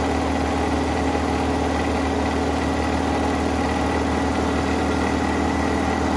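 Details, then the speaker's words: 1983 Mazda B2000 petrol carbureted engine, start after revival with fuel line reconnected to carburetor, no air cleaner: even low idle with slight chug, fast on choke, holding without stalling; normal cold idle, choke pull-off. "notice how it's chugging that's that choke pull off"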